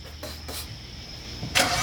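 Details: BMW 335i with eBay 19T V4 turbos, first start after install: starter churns briefly, engine catches with a sharp surge and settles; clean first start.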